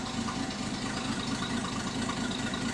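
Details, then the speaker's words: 1967 Mustang 200 CID inline six just after new timing chain, cover and crankshaft balancer install: steady idle with a faint puffing tick on each firing pulse; owner suspects an exhaust leak on one side, engine needs tuning. "I definitely hear now that everything's together. It definitely sounds like I've got an exhaust leak over here somewhere I need to work on."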